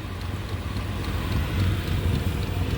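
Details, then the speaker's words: Happybuy Vevor 8 kW Chinese diesel heater in a van, starting up after a new glow plug was fitted: faint, steady ticking about three times a second over a low fan roar; the fuel pump meters normally during startup. "I'm in the trial and error mode right now, so you can hear it clicking."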